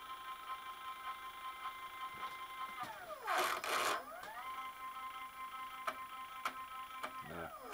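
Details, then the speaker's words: X-axis stepper motor on an 85-year-old Alba 1A metal shaper being converted to CNC, running at about 60–65 V on a cold, well-oiled machine: the whine rises and falls, then clacks and stumbles as it loses steps; the motor is thought to need more torque. "yeah sitting here you're losing steps here which is bad the machine is well-oiled it works"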